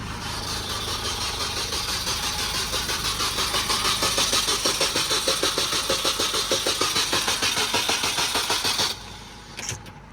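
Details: Supercharged Mini R53, first start attempt after the engine was reinstalled: even cranking pulses about three a second for nine seconds with no catch; cranks but won't start, and an unplugged connector at the front was then found.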